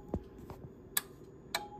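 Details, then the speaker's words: Refurbished KWS-1 transmitter tested on AM at 14.5 MHz with microphone connected: two crisp, separate clicks about half a second apart as the relay pulls in and drops out with press-to-talk, normal relay switching. "the relay clicking in and off there as they operate the press the toque"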